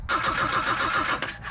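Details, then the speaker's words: Truck last registered in 2005, cranking: quick even cranking, about seven compressions a second, that never catches, then cuts off. No spark whenever the distributor cover is refitted; owner suspects a wire to the distributor touches the cover, giving a constant ground. "she ain't got no spark nope she sure don't this is a new one for me guys every time I put this cover back on I'm losing my spark"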